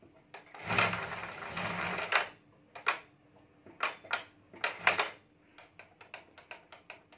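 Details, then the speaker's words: Stitching (sewing) machine making irregular sharp clacks and rattling bursts from inside when started and when stopped, before opening it for repair; abnormal clattering noise, cause not yet known. "तो अभी मेरे machine में कुछ इस तरह से आवाज आ रही है मैं जब मशीन स्टार्ट करूंगा तब ऐसी आवाज आएगी"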